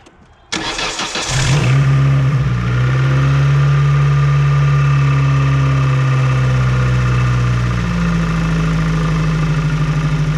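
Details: Start-up after replacing a damaged, previously soldered ignition coil connector with a Dorman 645-302 and refitting the ground wire: quick crank, catches at once, smooth steady idle with a slight lift near the end. Runs clean.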